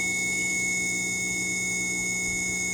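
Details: Viair 480C air compressor motor during a rebuild after 2 years of use, powered from a jump start pack: steady high-pitched electric whine, even and unwavering, no rattle or grinding; motor spins freely and sounds healthy.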